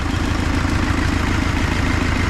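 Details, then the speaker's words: Nissan Pathfinder diesel idling after an engine swap and reinstall; steady, even clatter with a smooth regular pulse, no misses or knocks; normal idle, with only a small exhaust leak noted. "Mais il tourne bien. Aïe aïe aïe. Il tourne laser."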